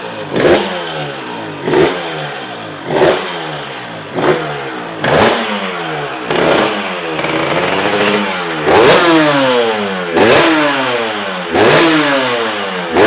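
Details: Honda RS 125 GP two-stroke started after 20 years, with the carburetor cleaned and a new exhaust fitted; sharp blips about every 1.5 seconds, each rising and falling cleanly with a crisp crackle, so it is revving normally and freely.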